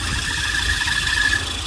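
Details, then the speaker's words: Volvo 940 idling after a flat battery and jump start, with a steady high-pitched squeal from the auxiliary drive belts. The power steering belt is the main culprit, but all three belts squeal and need tension adjustment. "all three belts making a squeal, so we need to do adjustment on all three belts."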